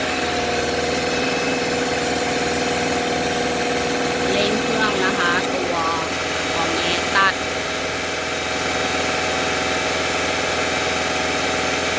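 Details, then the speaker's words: 2013 Subaru XV, 66,867 km, evaporator replaced two years earlier, AC on at idle: steady droning hum from the compressor over the engine, customer-reported noise; failing compressor replaced. "ก็ลูกค้าแจ้งตัวคอมแอร์มีเสียงดังค่ะ"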